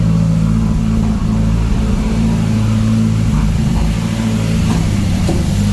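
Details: Mazdaspeed four-cylinder, first startup after clearing codes with the Accessport. Steady, even idle with a low drone and a few light blips, no knocks or rattles. Smoke is residue burning off the turbo, not a leak.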